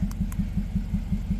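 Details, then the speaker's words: Car idling with one coil unplugged: rough lopsided thumping about five a second, one firing missing each cycle; running on three of four cylinders, misfire on cylinder 4. "so you can hear it running and it runs pretty rough it's only running on three of the four cylinders"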